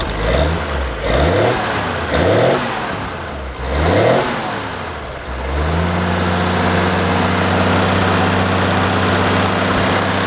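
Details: Carbureted engine, warm after about 11 minutes of running: four quick throttle blips that rise and fall cleanly, then it settles to a smooth, even idle; normal revving.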